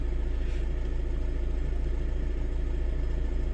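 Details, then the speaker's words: Mitsubishi Pajero Sport diesel idling during scan-tool injector small quantity learning (SQL): steady clatter about three and a half pulses a second with slight ebb and flow as the computer varies injection; idle speed changes during learning are normal. "So when this the when the learning or SQL the pilot learning running the engine sounds changes or idling change speed may increase during injection and this this is not abnormal condition. This is this normal condition"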